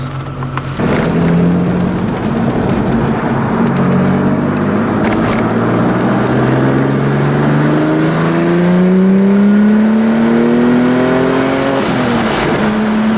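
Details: Audi B5 S4 (tuned) on a drive after a boost leak was fixed by resecuring the loose throttle body boot, which had caused low boost and limp mode at 5 psi: strong even pull, smooth rev climb, no hiss or flutter, crackle on lift-off.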